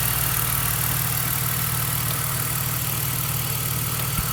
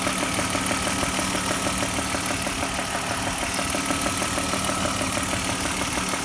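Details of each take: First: BMW petrol engine idling evenly with a steady low pulse and no knocking, after a knock caused by loose spark plugs was fixed by fitting new plugs. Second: I got this knocking sound, thankfully it was not an expensive fix! It was just loose spark plugs!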